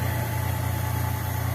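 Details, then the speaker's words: Old Ford with a Weber carburetor on an adapter, started with a race-car start button, correct gasket still on order: a low idle with a slightly lumpy, uneven pulse, sucking air badly. Vacuum leak at the leaking carburetor base gasket. "Yeah. And it's sucking air like a big dog."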